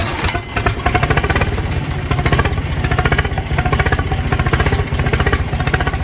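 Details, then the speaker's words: 50 hp diesel tractor on a cold start around 60°F, started from a dead battery with a NOCO Boost jump pack: steady even idle clatter with a clear low thump and no misses. Running normally. "uh essentially the battery went dead while i tried to crank it so from a dead battery to starting a 50 horsepower tractor that's pretty impressive"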